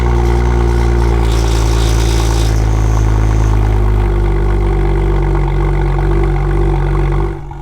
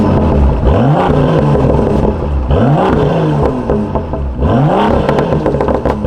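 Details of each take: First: BMW M2 cold start: loud, raspy, buzzy drone from the rear that stays harsh as the idle drops; a fractured exhaust and a hole in the muffler cause the exhaust leak and rattle. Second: BMW M2 with M Performance exhaust, valves opened by remote in sport mode, after exhaust issues were fixed: three deep revs rise and fall cleanly, strong low rumble with no rattle or buzz; exhaust healthy.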